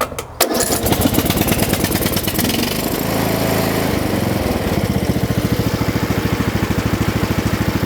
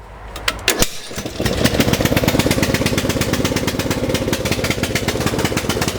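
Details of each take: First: Lawn tractor with a single-cylinder Briggs & Stratton engine, after repairing the choke linkage tab that kept it running on choke (too rich): engine catches quickly and settles into an even putter with no stumbling or hunting, no longer on choke; normal running. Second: Lawn tractor, single-cylinder Briggs & Stratton engine; choke stays on even after throttling back, so it runs with a steady lumpy beat, never revs up properly, running rich.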